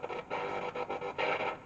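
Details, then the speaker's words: Bush VHF72 valve radio under repair: loud, harsh, gritty heavily distorted sound on FM band with plenty of volume; distortion and hum absent on AM, so fault is on FM side. "or volume there but the Distortion is quite something now that Distortion does not occur"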